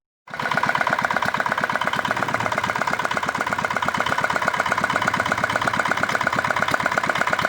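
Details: R180 single-cylinder diesel whose bearings kept failing; a new part was fitted, atomization checked good, then the engine was started. It starts cleanly and settles into an even, steady thump near 100 beats a minute with no knock or rattle.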